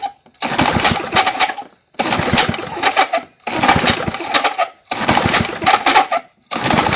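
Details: 1978 Craftsman-branded Tecumseh LAV50 small engine, choked by hand, old gas smell: several quick rattling pull-cord cranks dying out without firing; no-start with timing lost to a sheared flywheel key.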